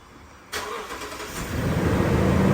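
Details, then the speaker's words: Toyota 5.7L 3UR (Land Cruiser LC200/Tundra/Sequoia/LX570) started right after replacing spark plugs: quick crank, clean catch, smooth even idle with no misses or out-of-order firing; running normally. "Sounds good. Don't hear any misses. Nothing sounds like it's firing out of order. Everything's good."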